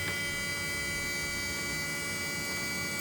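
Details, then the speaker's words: 2010 BMW 535 xDrive electric coolant pump running after the water pump and thermostat were replaced: a steady, jet-like hum with a constant high tone. It runs smoothly and normally. "hear that that's how your water phone sound like a jet"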